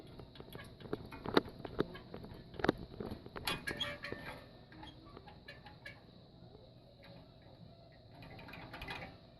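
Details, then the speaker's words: 1967 Chevelle bucket seat bottom pressed: irregular high squeaks and creaks from metal springs rubbing where the anti-squeak felt is worn down to the frame. "So they keep these springs from touching. Really big people get in these cars and flatten these seats out, and as you can hear,"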